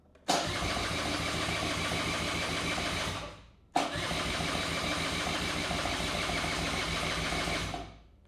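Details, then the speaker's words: 1984 Honda Spree scooter, first start attempt after sitting for years: two steady cranking bursts of about three seconds each, never fires; possible fuel starvation, tank may be bone dry, fuel leak suspected. "see guys want to start so let's start there if it doesn't start because of bad gas or no gas haven't even checked that yet she might be bone dry brother"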